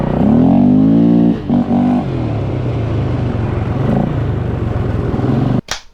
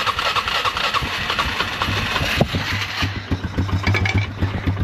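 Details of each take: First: Polaris Scrambler 500 barn find revived after 10 years sitting, on a ride: single-cylinder pulls cleanly, revs climbing smoothly with no misses or knocks; running healthy under load. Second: Polaris Scrambler 500 barn find sat 10 years, started by jumping battery to bad starter solenoid, no air filter: cranks then fires into a ragged single-cylinder chug; smokes a little, idle too low, needs adjustment; exhaust leaks.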